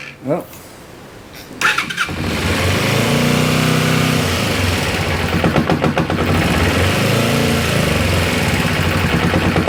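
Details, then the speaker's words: 1994 Kawasaki Ninja 250 (ZZR250) sat for years, first start on choke: cranks and catches, then idles with a dull knock about four times a second, clearer as revs drop; noise vanishes with clutch pulled, owner unsure if clutch is the cause. "so as you can hear when the the r slow up down a bit she doesn't me say too bad doesn't seem too bad P the clutch and the noise vanishes no noise CL out"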